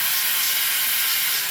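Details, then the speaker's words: Numatic Henry vacuum, commercially used, after servicing with straight hose fitted: steady rushing airflow hiss, no laboring, rattle or scrape; loud, strong normal airflow. "That one sounds loud. So they're definitely working."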